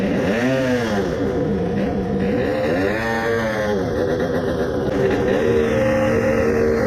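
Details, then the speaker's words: Tuned 20 hp two-stroke moped, crankcase resin-filled, coolant added, after 10-minute idle to break in resin: revving surges and sags, revs fall faster than normal, labours and seizes, locked solid; owner suspects main bearings. "the revs start to drop faster than normal right. that happened after all I let it idle for 10 minutes and it was running well but I only had to rev it for like 5 times and I could hear it is struggling then it seized."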